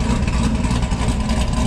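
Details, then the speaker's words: Krypton Camaro V8, just over 7,052 miles, idling while warming up after long storage on a roughly 50°F day. Deep, even burble with a steady beat and no ticks or misses. Normal idle. "she sounded awesome can't wait I mean it's like I said it's almost February so not too much longer and we'll be able to drive this again"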